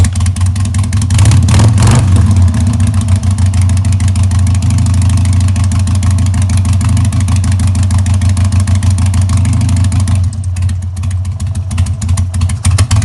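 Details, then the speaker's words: 2000 Harley-Davidson XL883H Sportster, just started after ignition module replacement (previously backfired and wouldn't restart hot, weak spark), choke off: deep V-twin idle with uneven, stumbling beats after a blip. Rough idle, owner suspects timing not right. "I don't think the timing's right because the bike doesn't seem to be idling right."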